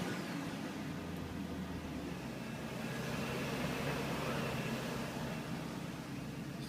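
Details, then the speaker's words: BMW E38 with M62TU V8, 177,000 miles, cold morning start after sitting four days following timing guide replacement: even, steady running with little VANOS rattle and no knocks or ticks; no engine light. "a perfect start. No engine light. Thank goodness."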